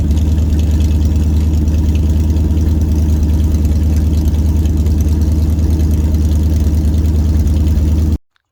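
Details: Dodge 318 V8, budget rebuild, reinstalled after a broken flex plate was replaced and cam and lifters inspected; oil pressure 60 psi, temperature 175–180°F: a steady, even low idle burble, regular firing, no ticking or knocking, until shut off; healthy.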